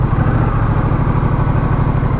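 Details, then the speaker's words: Honda Rebel motorcycle in about 100–105°F heat, off throttle: a quick, even thumping pulse that holds fast and never settles; idle hanging high (earlier around 1800 RPM); owner suspects a temperature sensor issue, possibly linked to a recent no-start. "See, it's holding high. So I think I've still got some kind of a temperature sensor issue with this bike."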